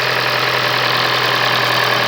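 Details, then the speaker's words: Car idling after a cold start, with no overheating, temperature holding and clean oil: an even, steady idle hum with no knocks, misses or rattles; normal healthy idle. "that's not using coolant engine sounds healthy idles nicely"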